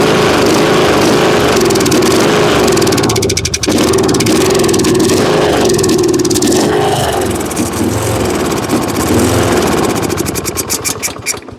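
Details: Kohler Courage on a Husqvarna riding mower, cranks fine but won't start: fed carb spray to flush old gas, it surges and splutters, then fades and dies. It runs only on spray, so it's a fuel problem, and the flush didn't fix it.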